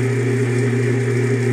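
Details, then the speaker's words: Craftsman Atlas 12-inch lathe countershaft with freshly rebuilt motor, running after thrust bearings were fitted to stop the shaft riding against the side and grinding/humming, cover not yet on: smooth steady hum with constant pitch, no grinding or rubbing; normal, quiet. "all right nice and quiet that's how I like it"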